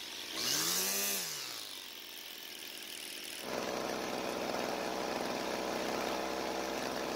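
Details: Old Homelite two-stroke string trimmer that quit mid-use and wouldn't restart despite fuel, spark and compression; after priming the bulb, a pull-start whoosh, then it catches and holds a steady even buzz without misses; runs healthy, L screw unadjusted.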